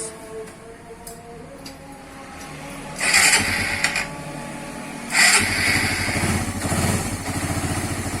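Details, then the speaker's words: Suzuki Satria FU 150 after timing (cam) chain replacement and oil change: revved, then a steady, even idle beat without the earlier rough chatter; the rough noise was the worn timing chain, now fixed. "Sekarang sudah kita tes, suara sudah halus ya, hanya kerusakan pada rantai keteng atau rantai penggerak."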